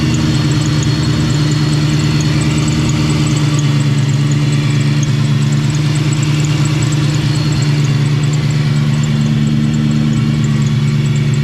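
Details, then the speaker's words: 2004 Mustang Cobra (Terminator) in for a driveability inspection: steady low idle with a faint high chirp repeating on top; the serpentine belt is stretched and rubbing against itself, causing the chirp, and needs a shorter belt. "It's gonna have to have a shorter belt. The belt's definitely stretched and it's rubbing against itself. That's why it's making that chirping noise."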